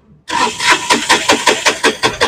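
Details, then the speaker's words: Mahindra Maxmo passenger diesel that sometimes starts and sometimes doesn't: steady starter churning at about six compressions a second with no firing, cranks but won't start. "बस तो friend यह गाड़ी start नहीं हो रही है तो अब चाबी बंद करो"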